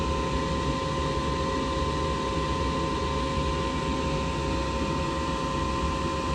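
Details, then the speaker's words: Furnace with a newly installed inducer motor replacing the old one; the customer had complained of loud screeching and the heater not working. Smooth, even high whir with no squeal or buzz, spinning so fast it looks still; normal running. "so this inducer is spinning so fast that like it looks like it's not moving"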